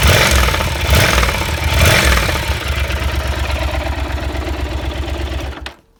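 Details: Yamaha TDM 4TX engine: uneven heavy clatter through a few throttle blips, then dying off as engine shuts down; connecting rod big-end bearings worn, knocking.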